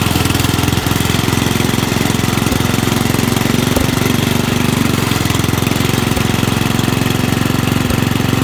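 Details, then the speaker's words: Rugg carpet-cut tractor found at the dump, small single-cylinder engine running under load with a dirty carburetor and a shot muffler. Fast, steady thumping at about four beats a second with no misses or pops. Runs well, and backfiring is expected to drop once a muffler is fitted. "Okay guys, there you have it. Runs pretty good. I don't think it will backfire as much when I get a muffler on there."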